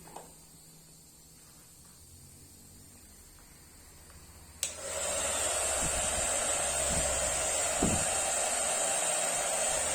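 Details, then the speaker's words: Taiff hair dryer after replacing a worn bearing that caused noise, reassembled: quiet start, then a steady, even rush of air with no rattle, wobble or grinding; motor runs smoothly without vibration. "Perfeito, fala o barulho, tranquilo, fala de vibrar."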